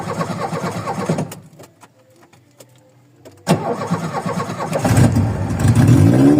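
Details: Cold VW Voyage after sitting many days, worn old mechanical parts: engine dies, cranks, catches and settles into an uneven, lumpy, wavering idle; rough idle after restart while warming up.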